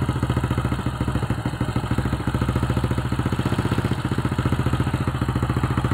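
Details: Old Honda Supra X (suspected weakening spool/stator coil) at quick, even low idle after starting on one kick, on the used spark plug with idle turned down; no misses, knocks or rattles; battery about 12.9 V while running.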